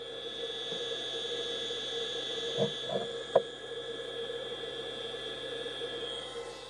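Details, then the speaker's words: Sega Dreamcast with its stock cooling fan, before the Noctua fan mod: a constant high-pitched squealing whine over a low hum, clearly audible even with the mic not close. "Listen, listen to that constant, infernal squeal from the stock fan on our Dincast. I'm not even getting the camera microphone very close to the console, and you can hear it quite clearly after a while."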